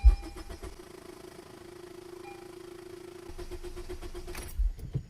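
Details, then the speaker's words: 10th/11th-gen Honda Civic 2.0L N/A before an injector replacement, 15 A fuel pump fuse pulled to depressurize the fuel line: even starter cranking, about three beats a second, with no firing; crank, no start. "Next, with the fuel pump fuse out, I'm gonna go and turn the car over until, and if it starts up, we're gonna let it stall out."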